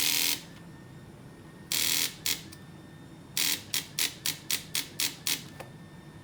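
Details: 2008 Harley-Davidson V-Rod with ignition and lights working: pressing start gives only sharp rapid clicks in short bursts, about four a second, with no cranking or firing; a jump starter connected directly to the battery burned out; starter clicking, no crank.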